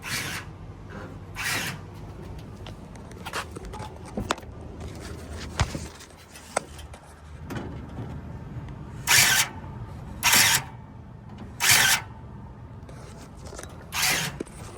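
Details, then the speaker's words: Toro TimeCutter zero-turn mower after the brake controller was replaced, key on: short whirring bursts as each drive lever is pulled in, the brake controller cycling the actuator arms normally. A failed controller makes no such noise. "So I got the key to the on position, and now whenever you bring your lever in, your drive lever, you should hear that brake controller move the actuator arms."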